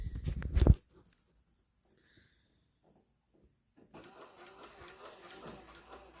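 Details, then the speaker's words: 1967 Chevelle wiper motor switched on: after a quiet spell it starts with a steady tick about every half second as the arm sweeps; wiper working normally. "honestly it sounds like the uh sounds like the Farm's turning I don't know all right well the wiper runs"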